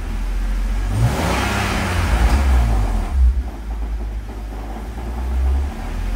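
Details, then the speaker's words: Engine revving in neutral with the clutch out: a low rough rumble that follows the revs and goes away when the clutch is pressed; not the harmonic balancer, owner unsure whether it is engine-central or transmission. "it's definitely not harmonic balancer it's more Central engine I really don't know when you do clutch it it goes away so that's why I don't think it's engine this is neutral clutch out"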